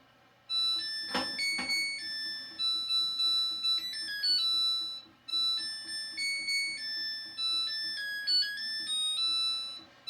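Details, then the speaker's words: Samsung WA55A7700AV/US smart top-load washer, with a quick spin added after the cycle: the spin winds down, then a short bright electronic chiming melody plays twice as the normal cycle-complete alert. "My cycle is already done, but I added on a quick spin just so you could hear how it ends and the cute little music that it makes."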